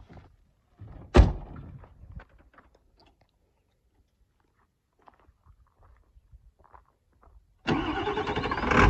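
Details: 1994½ Ford Power Stroke diesel ranch truck, just back from shop work with new flatbed, rear tank leaking: door and cab noises, pause, then fires promptly and clatters into a steady even idle; healthy start.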